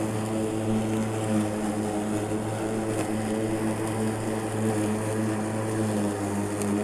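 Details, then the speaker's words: Makita 36V (2×18V) battery lawn mower cutting thick, tall grass: steady, even motor whir with no stalling, though it is described as starting to lug down under the load. Normal running under load. "that's about all this lawnmower wolf's it starts you can hear it it's starting to lug down in that grass"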